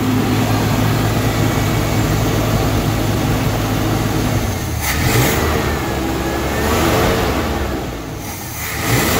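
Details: 1974 Chevy C30 wrecker, V8, revived after five years sitting, still smoking as old oil burns off: idles steadily, then picks up in a couple of throttle blips and settles back without stumbling or backfiring; runs fine.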